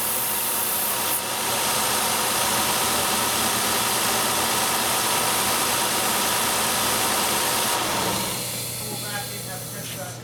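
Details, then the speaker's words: Ford/Mercury V6 idling with lean codes P0171 and P0174; a loud steady hiss from a collapsed part leaking vacuum cuts out abruptly when the hole is plugged with a finger. "whatever so we heard the vacuum leak with my finger plug in the hole so I'll pull that off"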